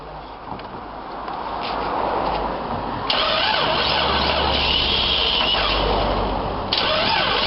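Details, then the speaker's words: 1995-96 Jeep Cherokee XJ 4.0 petrol (UK Limited), cranking with ignition on during immobiliser bypass: even starter beat of about four turns a second, but the engine never fires. Owner suspects the fuel pump, which buzzed briefly then stopped. "so we have something I mean it may well be that the fuel pumps not working as well because it did burst intellect but then it stopped so that would be consistent"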